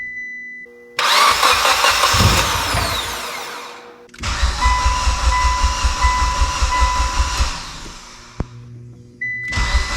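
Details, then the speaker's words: Mitsubishi Evo with a used engine on first start after priming oil pressure; long bursts of rhythmic starter cranking with pauses, nearly fires but won't catch; finally started after holding full throttle a few seconds. "hmm it wants to start it's just she's at concess i don't know why oh she almost went sometimes they just don't want to start"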